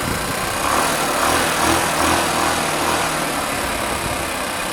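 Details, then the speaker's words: Znen ZN125 T-E scooter after replacing vacuum and split overflow pipes, running with airbox removed: small single buzzing fast and slightly unevenly, well above normal tickover; high idle with no air restriction. "Yeah, that's with no air restriction at all. That's well up."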